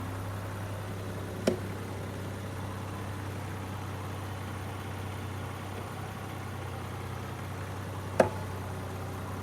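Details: 2022 Land Rover Defender with Bora 1.25-inch wheel spacers, torqued to spec and retorqued at 10 and 100 miles: two sharp single pops while moving off forward and in reverse; cause unknown.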